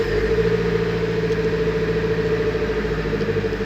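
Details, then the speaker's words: Nissan 200SX S14 SR20DET after replacing and tensioning the three V-belts, which had squeaked at startup and with the heater on: smooth even idle, no chirp or squeal; fixed. "no squeaking noise It is that easy a little bit tricky but it works"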